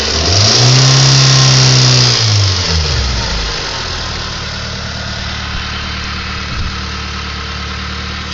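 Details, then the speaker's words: Mitsubishi 4G93 petrol engine idles smoothly, but when blipped its rising note carries a rough, relentless ticking; owner says it is not lifters, valves, injectors or compression, cause unknown. "idles nice, but once you give her gas, she's just relentless. Just ticking out of nowhere."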